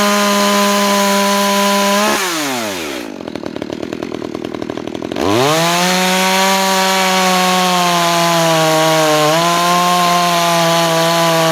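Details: New Makita EA3200S chainsaw during break-in, cutting wood: crisp high snarl drops under load as the bar bites, then recovers cleanly; healthy.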